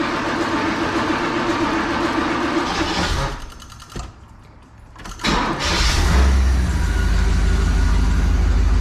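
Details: 1986 Pontiac Trans Am after sitting 17 years, carb, fuel tank, intake gaskets and fuel pump redone, at cold-start idle while dwell is checked: steady low rumble with even beat, brief dip, no misses; normal smooth idle.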